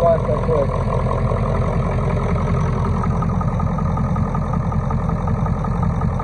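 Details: 1996 Ford F250 7.3L Powerstroke diesel just revived after sitting: steady, even low diesel clatter at idle with no misses or knocks; idling healthy, check engine light on, possibly not charging.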